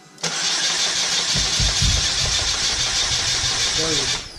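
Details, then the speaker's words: Chevrolet HHR turbo build, first start after the build, battery low, fuel system not yet primed: steady starter whirr with even cranking pulses for about four seconds, never catches; crank no start, no fuel in system. "Probably gonna get fuel in the system. That's what it is. There's no fuel."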